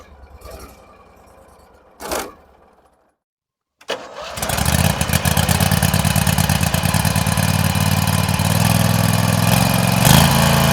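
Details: Garden tractor with a 16 hp Briggs Vanguard engine on a cold start: a couple of clunks and a pause, then it cranks, fires quickly and holds a smooth, steady idle, "like butter". Normal cold start and idle.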